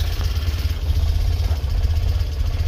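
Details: Tata Nano CNG: rough, lumpy idle with uneven beat, wavering loudness and backfiring; heavy misfiring and it dies on throttle after starting; faulty oxygen sensor upsets the mixture.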